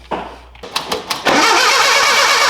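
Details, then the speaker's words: 1978 Datsun 620 truck, engine with reused oil: a few slow cranking chugs, then a harsh, uneven roar; ignition timing quite a bit out, direction still to be found; a fuel line is also leaking onto the exhaust manifold. "Quite a bit out of time. Let's see which way it needs to go."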